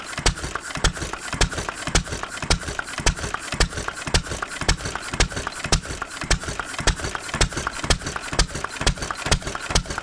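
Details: 1920s Taylor Model B hit-and-miss vacuum engine, long sat, running on old gas after the fuel check ball was freed: sharp loud exhaust pops about twice a second with light rattle between; running properly.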